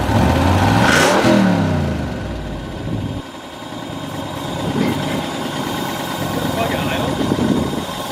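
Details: 1995 Ford Mustang 5.0 (302) V8, 5-speed manual, first start after 15 years: engine flares then drops into a ragged, uneven idle with a faint light tick on top; rough idle, lifters mentioned, cause not confirmed.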